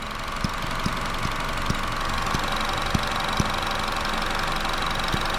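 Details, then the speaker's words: 2012 Chevy Cruze LT idling with codes P0171 and P0496: a constant airy hiss and light ticking about four times a second as the EVAP purge valve, stuck open, draws vacuum; the valve needs replacing, and long-term fuel trim is now about 2. "and you can see that it's just you know vacuuming in there so obviously this needs to get switched out"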